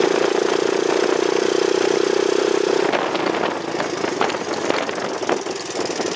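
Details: Honda chopper ridden after cutting off part of the over-welded battery bracket: steady engine drone with no rubbing, scraping or ticking from the chain; the drive now sounds clean and quiet.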